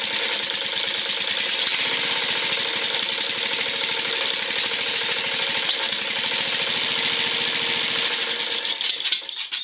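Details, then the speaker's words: Briggs & Stratton riding lawn mower engine after carburetor cleaning and fixing a no-fuel problem with the bowl refitted: crisp, even buzzing beat holding steady speed before shutoff; runs and idles good. "Okay, there we go. Fixed it. Runs good, idles good."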